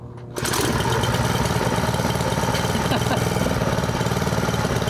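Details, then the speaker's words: Honda WX15 1.5-inch water pump unused for 3.5 years, first pull with choke on and throttle low: catches immediately and settles into a steady, even running beat with no misfires; normal start and idle. "I still can't believe that started on the very first pull."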